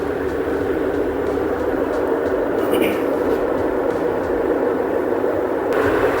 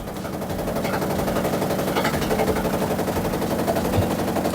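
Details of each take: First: Samsung top-load washer after repair for loud spin noise: at maximum spin of 1,000 rpm, a steady, even whir with no knocking, banging or scraping; drum running smooth and balanced. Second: Samsung top-load washer on a spin-only cycle: rapid heavy banging, roughly four knocks a second. The technician suspects a broken drum hub rather than the dampers or spring suspension.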